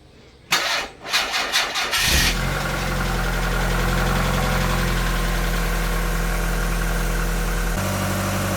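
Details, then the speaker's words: Mazda Miata 1.8 litre, after stop leak added for a rear main seal leak that appeared after an engine flush; cranks a few pulses, catches cleanly and settles to a steady, even idle with no knocks or misses; sounds healthy; oil smoke from exhaust afterwards. "Started. Sounds healthy, though. 1.8 litre things."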